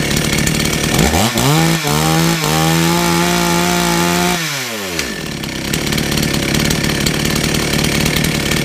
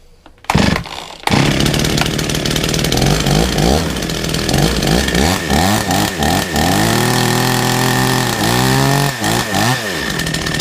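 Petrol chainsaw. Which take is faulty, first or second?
first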